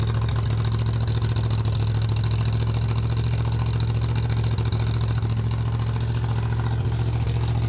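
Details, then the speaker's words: 302 V8 engine driving an air compressor, cold with choke on, building tank pressure; deep even drone holding speed without misses or surging, normal running under load. "But holy cow, it it actually builds pressure and it actually works. It's amazing."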